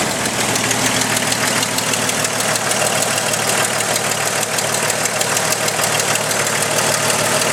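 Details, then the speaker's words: Jeep Cherokee 4.0L stroker with aftermarket header: sharp, fast ticking at idle, loudest at the back of the engine. Exhaust leak from the cheap supplied header gasket blowing apart; fixed by fitting a Felpro gasket. "Got a lovely tick coming from the back side of the motor."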